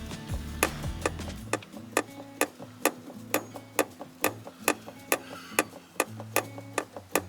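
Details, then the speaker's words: 2006 Land Rover Discovery 3 windshield wiper motor running after refitting: sharp, unevenly spaced knocks about two per second over a faint hum as the motor bounces; suspected loose or bent mounting or worn rubber grommets; wiper motor knocking. "It is the windshield wiper motor that's bouncing around, but the only thing that would stop that from happening is these are actually loose on this side, and I don't think they are, to be honest with you."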